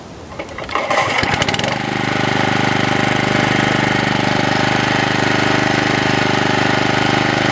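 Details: Honda HR214 mower, set on high: pull-start catches quickly, then steady high-pitched full-throttle buzz with even firing, no misses; smokes heavily after start; normal running at full throttle.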